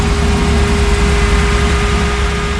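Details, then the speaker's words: FJ45 rock crawler running after computer-controlled setup, warmed until thermostat just opened and heater blowing hot: steady whir over the engine, level easing toward the end as the fan slows; cooling fan ramps down normally. "so thermostat just open oh yeah now we got hot air coming out of it cool should start hearing it ramp"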